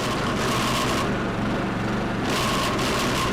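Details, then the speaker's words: Toro 22-inch rear-wheel-drive mower engine running under a rough, gritty, surging growl that mimics stripped gears; it is actually the drive belt slipping and shuddering from a misadjusted cable, most common on hills or sudden Personal Pace engagement. "the noise sounds just like gears that are stripped or slipping but is actually caused by a misadjusted cable the noise is the belt slipping and causing it to shutter"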